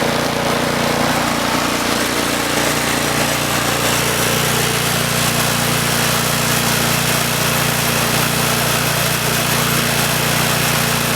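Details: Troy-Bilt Storm 2840 28" snowblower (model 31AH64Q4711) with a Chinese-built 277cc OHV engine (about 8 hp); first pull-start of the season at full throttle. Steady, even single-cylinder drone with no misses, knocks or hunting; normal running.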